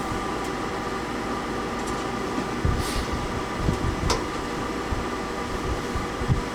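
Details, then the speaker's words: Englander wood pellet stove in a 288 sq ft shed at about 0 °C, blower motors running in startup mode: an even, steady whirring hum with light clicks, fans normal. The output is still uneven, warm air from the left side and cool air from the right. "So I'm just going to pause this now until it goes through the startup procedure and the blower kicks in. So as you can hear, the blower motors have kicked in."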